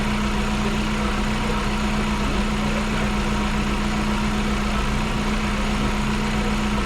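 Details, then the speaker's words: Car that stood a week, fuel pressure holding, battery and starter good, no current draw: steady even idle with smooth low hum, no knocks, misses or ticks; engine healthy. "No current draw, battery's good, starter is good, and it sounds good. That does sound very good."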